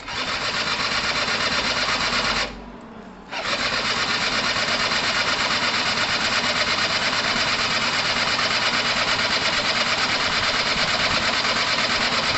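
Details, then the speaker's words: Gilera DNA 125 two-stroke scooter cranking with fuel and power present and the oil pump working: fast, steady starter whirring, a pause, then more cranking with no firing. Won't start; spark not yet checked. "okay so it's not quite ready guys it's not quite ready what we haven't checked for is sparks"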